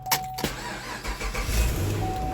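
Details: 2011 Chevy Camaro 6.2 V8 that was towed in with no crank, no start. After the trunk battery post connection was cleaned and greased with dielectric grease, a short crank catches straight away into a steady idle; a clean, healthy start.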